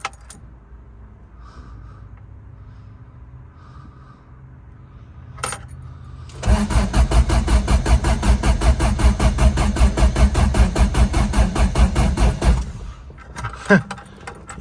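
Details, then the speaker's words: Old vehicle revived after sitting, battery charged overnight: about six seconds of slow, heavy cranking with no firing; weak crank and no start, owner reaches for starting fluid. "that sounding kind of weak maybe we should give her a little shot of some starting fluid"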